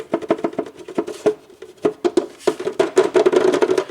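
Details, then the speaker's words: Permobil F3 power wheelchair after 2 years and about 1200 miles: hollow irregular plastic clacks in quick bursts; plastic panel rattle, owner suspects the front covers popped loose by a jack and other plastic points. "that's another rattle Point see here I am thinking it was these covers which I mean those could be but this and that"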